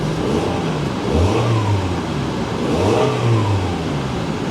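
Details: Salvage-auction Toyota small car: two clean throttle blips, revs rising and falling smoothly with an even note and no knocks or rattles; engine sounds healthy.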